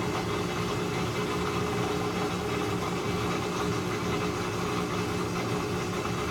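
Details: Maytag Centennial washer after replacing defective actuator motor, which had stopped it from rinsing or spinning: steady even low hum of drum spinning smoothly at speed, no knocking or grinding; spin cycle working normally.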